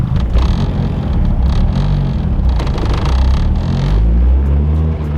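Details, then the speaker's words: Honda Civic EG after the owner altered its tune file (launch control turned on); it already idled roughly with the tach jumping. Floored, a deep flat drone never climbs and cuts at 3000 rpm; cause unknown. "Yeah, look at that. We can't even get past 3,000 RPM. I don't know what the hell is going on. That's so weird. It literally is cutting me right there."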